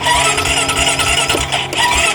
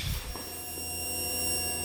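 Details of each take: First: 2008 Honda Rancher 420 ATV with new battery, seller says nobody could fix it: starter spins briskly in long bursts but never fires; crank no start, no spark found. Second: 2008 Honda Rancher 420 ATV, cranks but won't run: steady high electric whine with low hum when green and black wires are jumped; fuel pump runs normally but isn't switched on, suspected bank angle sensor or relay box.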